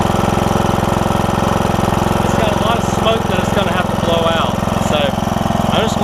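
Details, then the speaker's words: John Deere E100 with a 17.5 hp Briggs, 80 hours, after camshaft replacement for hard starting: steady single-cylinder thump at fast idle, no misses or knocks, oil burning off the muffler, starts right up; normal running. "go ahead and sit here for a little bit all that oil that's going to burn off the muffler inside the muffler and all that stuff sounds good though start it right up too so that's awesome"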